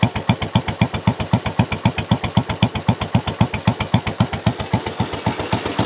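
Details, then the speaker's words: Royal Enfield Bullet 500, about 7,600–7,700 miles, slightly warm: loud, deep, barky single-cylinder thumping at about four pops a second through an aftermarket exhaust due to be swapped back to original; aftermarket carburetor too, and it runs roughly. "the reason for that is this thing is insanely loud and you kind of feel bad for uh riding it because it's it's actually that loud"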